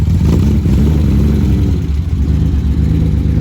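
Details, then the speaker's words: BMW E36 on its first drive: a heavy, lumpy low rumble with an uneven, loping pulse as it revs. It runs and feels rough, and it may be on 82 octane fuel; the cause is not confirmed. Rough-running engine. "It's definitely rough. It runs rough and it feels rough."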